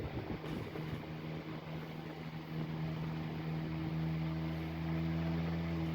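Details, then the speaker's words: 1910s desk fan running after lubrication: steady smooth hum climbing slightly in pitch as it spins up, siren-like, no scraping or rattle; healthy fan moving a lot of air. "There we go, that's perfect, that's how it should be. That is moving a lot of breeze."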